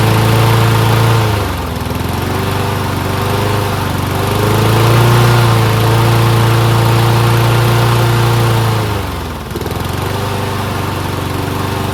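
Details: Toro Recycler Personal Pace mower with a Loncin engine after a belt change, choke manually closed; even single-cylinder drone that sags and recovers every few seconds, running a bit slow, RPM set slightly low.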